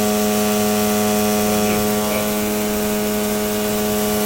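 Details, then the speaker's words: Daikin VRV3 inverter compressor hums and vibrates with a steady electrical buzz but does not load up; suction and discharge pipes are the same temperature, the pipe that should be hot is not. The compressor is not compressing. "Температура в трубах одинаковая. Компрессор не работает."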